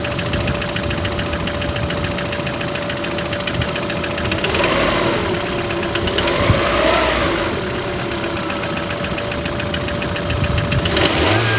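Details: Engine knock: a steady, even knock ticks about three or four times a second over the idle; cause not yet clear.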